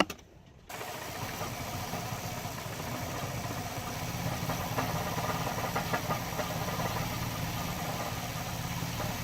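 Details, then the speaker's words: Mercedes 190E 2.0 natural gas conversion running on gas, while the idle screw is adjusted. Uneven, lumpy idle with irregular stumbles and no steady rhythm, maybe slightly better but still terrible; rough idle. "now it's reached slightly better maybe I don't know it's still terrible still terrible"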